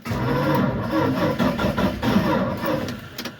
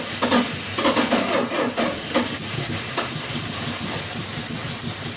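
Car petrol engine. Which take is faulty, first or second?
second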